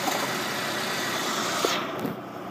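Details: 2000 Saab 9-3 SE, idle: intermittent busy hissy rattle from the engine bay; failing AC compressor clutch, fixed by replacing it (eco AC mode disengages clutch to check).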